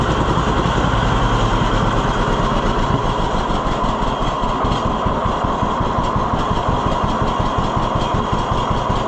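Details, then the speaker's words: 1948 John Deere B tractor after Wico X magneto work: slow, even two-cylinder putt at idle, every beat firm and evenly spaced with no misses. It idles lower than it would ever go before. "It would have never done that before. Listen to how low it idles."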